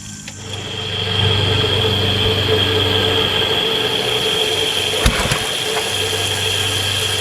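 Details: Kärcher pressure washer, small petrol engine, tested with water on but no spray gun fitted: steady, even drone with a hiss of spray, no misses or hunting. Runs healthy under load; pump pressure is very high.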